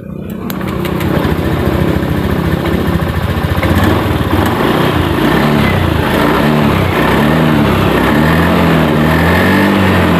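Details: Honda Beat FI (ESP) idles low and uneven and stumbles after an IACV check; turning the idle air adjustment has no effect.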